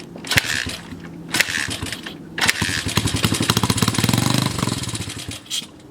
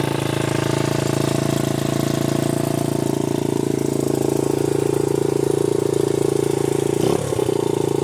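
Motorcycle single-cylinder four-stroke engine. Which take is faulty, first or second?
first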